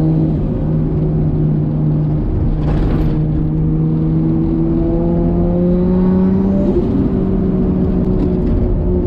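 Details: Nissan Skyline R33 with built 550hp RB25DET, after lifter repair fixed a ticking noise: smooth note climbing steadily in pitch on light boost, no top-end ticking; valvetrain sounds healthy.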